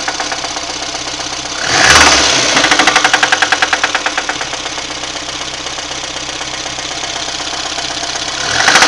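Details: VAZ 2110, 1.5 8-valve, at idle. A sharp, regular tapping at about four per second stands clearly above the idle: engine knock, cause unknown.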